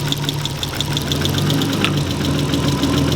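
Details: Car just reassembled after a gearbox/clutch repair for a gnarly engagement noise: at idle right after startup there is a light, fairly regular tapping knock of about three beats a second, also felt through a screwdriver stethoscope. Cause unclear.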